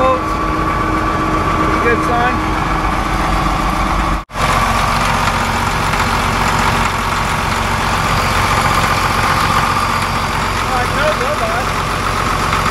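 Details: Cat D7F dozer, old military tractor bought non-running at auction, idling after first start with glow plug preheat on a weak battery: steady, even low diesel chug, no misses or knocks, no blow-by; idling cleanly.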